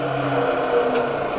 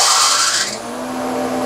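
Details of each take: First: Grizzly 20-inch spiral cutterhead thickness planer after shortening link belts and tightening motor mount: steady motor drone with constant high whine, no squeal or chirp, no belt slippage; normal running. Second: Grizzly 20-inch spiral cutterhead thickness planer with loose link belts: harsh high squeal right at switch-on that drops away as the motor climbs to speed. The belts slip on startup.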